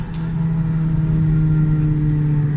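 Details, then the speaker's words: Manual car coasting off throttle; steady low drone with faint whine holding pitch, louder on left side; whine on deceleration, axle bearings or input shaft bearing suspected, not confirmed. "The transmission sounds like shit when I let off the gas. Oh my god. What's that sound?"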